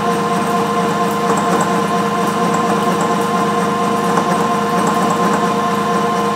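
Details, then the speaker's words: Bridgeport 1 HP R8 milling head on an American Tool Works planer mill, 5-inch face mill at 135 RPM, roughing pass on bar: steady even whine with a constant tone and no rising squeal or chatter, a normal clean cut. "that's cutting pretty good at that feed rate um so I'm actually running 135 RPM that's a five inch base Mill"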